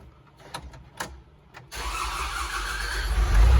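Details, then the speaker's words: Tele-handler diesel with a fuel problem, just after the mechanical fuel pump was replaced: a few clicks, then steady cranking that never catches; crank, no start, so the pump is ruled out as the cause. "unbelievable no change that's so frustrating so it's obviously not the pump"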